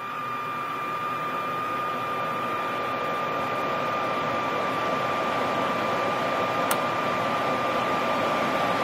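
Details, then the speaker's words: Furnace inducer blower motor running normally for about 10 seconds during the control board self-test after replacing the integrated control card; smooth, even airflow rush with a steady high motor tone, no rattles or scraping. "great the inducer motor has turned on for 10 seconds seconds we hear the igniter turn on our inducer blower motor has going to turn"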